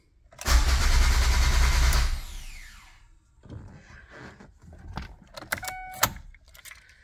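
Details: 2005 Ford Focus ST, battery around 11.86 V, PATS light had flashed: starter cranks steadily about one and a half seconds, never fires. PATS appears to work; fault suspected in engine bay, cam sensor to be tried.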